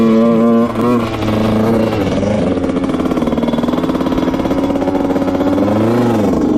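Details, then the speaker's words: 2000 Honda CR125 dirt bike ridden at nearly full throttle: revs rise then sag and stutter, breaking up and bogging badly, never pulling cleanly, blowing lots of white smoke; cause unknown, past owners couldn't fix it. "Alright, yeah, it's bogging really, really bad. You could hear it in the video. It's not too good. Breaks up, bogs, probably doesn't go over 10 to 50 miles an hour. I was going pretty much full throttle the whole time, and it's really, really boggy."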